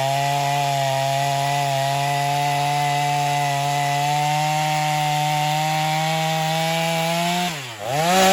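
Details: Stihl MS250 chainsaw test cutting wood after carb retune, tuned pretty rich for break-in; possibly slightly low compression but pulls with power; steady high-rev buzz through cut, dips and recovers as bar exits.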